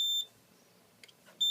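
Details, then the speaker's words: Fire alarm panel latching supervisory signal after the CO detector's test button is pressed (set to supervisory, not alarm; clears on panel reset): two short, shrill beeps about 1.4 seconds apart in a quiet room. "now let's test the carbon monoxide detector i don't have co spray so i can only press the button on it it's only set to do a supervisory it doesn't actually do an alarm"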